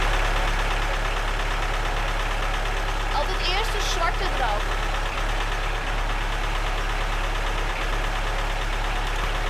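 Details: Lada Niva started after standing, battery charged: loud uneven chugging idle with an irregular beat around two per second and a tractor-like clatter; rough running, possibly misfiring.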